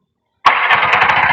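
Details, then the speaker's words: Bajaj RE three-wheeler trike that kept stalling and then sat two months, started with coil wiring bypassed and no parts replaced yet: silence, then catches at once into a steady, even putter with no misfires; clean start. "Umandar. Wala pa tayong pinapalitan. Tamang ano lang muna."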